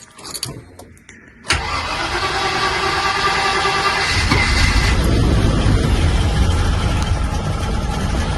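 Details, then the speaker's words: 1995 Range Rover Classic, sat over 10 years, after throttle pedal fix, engine at 6°C: starter cranks briefly, catches cleanly and settles into a steady rising idle; healthy cold start, revs well. "sounds okay so far cold start as you can see yeah when I revved it it was die good I think we're uh I think we're all right then"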